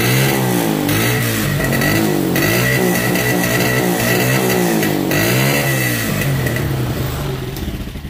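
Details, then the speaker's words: Motorcycle that bogs and stalls at 6,000–7,000 rpm, hot, with the old ignition coil refitted to confirm the fault: single cylinder pulses unevenly, rises and falls, then sags and dies, hard to restart; faulty ignition coil. "vamos de nuevo y ahora es cuando cuesta aprender algo pasó ahí"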